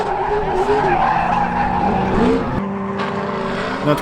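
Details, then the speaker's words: 1992 Nissan 240SX S13 drift car with 6.0 LS V8 swap and 4-speed dog box, on track at full throttle: note sags and wavers midway, a bog caused by low fuel sloshing away from the pickup. "however it did drain enough where I was sloshing around it was causing that issue"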